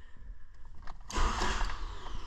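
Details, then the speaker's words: 2005 Toyota Matrix 1.8L manual with a no-crank no-start, after replacing two bad relays: quiet, then the engine catches about a second in and settles into an even run: normal crank and start. "wow there you go folks yeah third time's a charm well there you have it yeah I had a couple bad relays"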